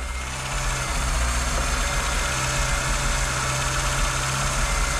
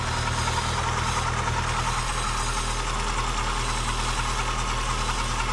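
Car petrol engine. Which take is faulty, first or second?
second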